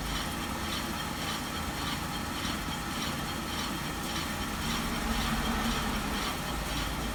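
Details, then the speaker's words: 2004 Mercedes SLK 320 flood car, 722.6 transmission after new conductor plate and filter, idling in reverse: steady low hum with scraping from rusty brakes; no transmission whine. "Okay, I got it in reverse. It doesn't whine, so you let it sit there for a little bit."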